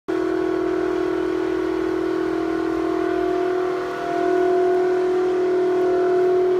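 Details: Toshiba exhaust fan in a restaurant toilet: loud, steady whistling drone holding one pitch with a brief dip, audible down the hallway; abnormal fan noise.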